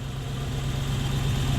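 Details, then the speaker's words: Toyota 1UZ-FE V8 hotrod idling after fuel leaks were checked; deep even low rumble with no misses, hiccups or hiss, "purrs like a kitten", a normal idle. "It doesn't just run, it purrs like a kitten."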